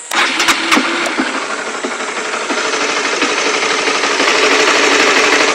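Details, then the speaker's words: Oscar motorcycle engine started and idling after nearly a year of "klotok-klotok" knocking; now a steady soft "deg-deg-deg" pulse with no knocking, which is its normal engine sound. "Memang ada suara kayak deg-deg-deg. Ini normal ini. Aslinya nih suara normal memang seperti ini suara mesinnya."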